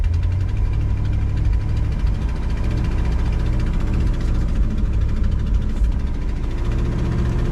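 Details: 1962 Ford Galaxie V8 that sat over 20 years, driving on gravel: steady deep rumble with no knocks, misses or stumbles. Running pretty good, pulling smoothly.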